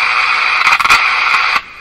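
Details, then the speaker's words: Jewel Model 505 vacuum-tube clock-radio after padding the oscillator and aligning the front end, on an outdoor antenna with ground: loud hiss and crackle with only a faint voice breaking through; AM reception is still weak. "It's a station there. Hear the voice? There's a voice there."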